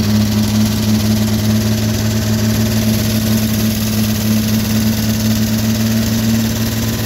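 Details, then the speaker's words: 1957 Chevrolet 210 V8, revived after sitting since 1991, idling on a rigged gravity-fed fuel bucket hosed into the carburetor. Steady, even, smooth low drone with no misses or knocks; the engine runs pretty good. Normal idle. "I think that'll be that'll be the next major hurdle being the engine runs pretty good you know and get a sufficient gas supply"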